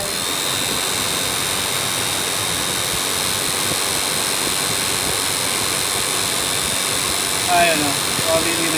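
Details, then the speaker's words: Toyota Prius cabin blower motor, a Denso unit, on the medium-high fan setting. A loud, steady rushing roar with a thin high whine. It stays noisy even after cleaning and greasing and needs replacement. "so it [Music] runs but it's so noisy so that's medium high yeah I think this is an aftermarket uh fan though terrible it's terrible"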